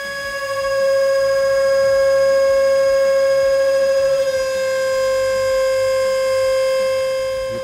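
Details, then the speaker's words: Standard 1-1/4 inch boring bar in standard holder at six times diameter overhang (beyond recommended 3-4x), 1,000 SFM finishing cut on lathe: loud steady high-pitched squeal of chatter, promising poor surface finish. "can hear the chatter. That's not great. We all know what kind of finish this is going to produce."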